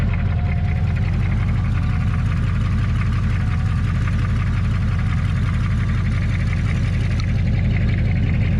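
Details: HMMWV (Humvee) diesel after flex plate replacement, with the Y-pipe joining left and right bank exhausts removed: deep, loud, lumpy idle with an open, boat-like rumble like open headers.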